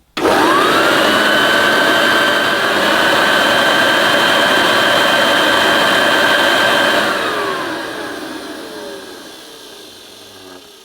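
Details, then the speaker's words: 1976 Hoover Junior Dirtsearcher upright vacuum, new in box, motor run alone without belt at first switch-on; steady clean high whine, no grinding or rattle, winds down smoothly; motor sounds fine, bearing grease possibly dried and may benefit from running. "Nothing wrong with the sound of that motor. It might benefit from being run for a while."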